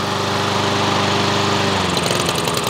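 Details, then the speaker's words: Troy-Bilt TB130 mower with a Honda GCV160 engine converted from auto choke to manual choke, running with the lever left wide open; even steady single-cylinder beat settling slightly lower in pitch, no sputtering, normal running. "and that's where you leave it yep and she's a runner now"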